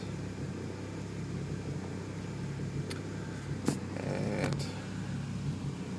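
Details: 2002 Lexus IS300 Turbo just after a coolant drain and fill with 50/50 mix and Water Wetter, started with coolant at 154°F and 63°F outside; low, steady idle with even rhythm, faint clicks, no knocks or squeals; healthy.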